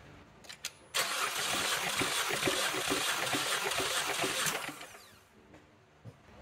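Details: 2014 Chevy Cruze 1.4L turbo during a compression test after fluid was seen in a cylinder, injector and fuel pump fuses pulled: even cranking for about 3.5 seconds at about four beats a second; cylinder one reads 210.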